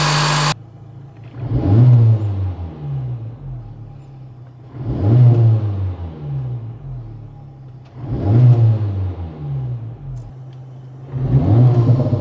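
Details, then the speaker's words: 2024 Acura Integra Type S (FL5) turbo engine with a new Sprint/Spoon air filter; four clean throttle blips about three seconds apart, each revving up and falling smoothly with louder induction noise and no knock or rattle. "Now, I've always loved induction noises, so growing up with Hondas and all that VTEC crack and all that, I love the sound of the suction noise."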